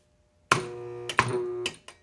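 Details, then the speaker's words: AC Delco 10MT starter (Chevy) bench-tested during rebuild with solenoid engaging the Bendix: short low electrical hum with a faint clunk at each power-up but no spin; shaft has excessive play, bushing bad, something seized inside, probably brushes or rear bushing (suspected). "you can hear it's making noise, but it's not spinning. And that shaft is actually moving a whole lot. So I know that this bushing is bad, and there's something seized up on the inside of this."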